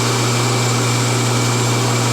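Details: Homemade rotary phase converter from a kit making three-phase power from a single-phase shop panel for dust collection equipment, first start: steady even electrical hum, low drone, no rattles or surges; idler motor started without hesitation, runs smoothly.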